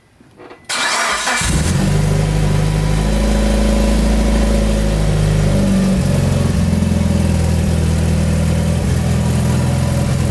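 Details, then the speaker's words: Mitsubishi Lancer Evo 8 restarted during oil change after priming the new filter and topping up low oil: fuel pump heard, quick clean crank and catch, steady low idle with a light blip; engine starts and runs healthy. "So right now I turned on the car so the filter could get some oil in it, and I was checking the oil, and it was actually a little bit low, so I put some in it. So I'm gonna turn it back on. Yeah, hear the fuel pump though."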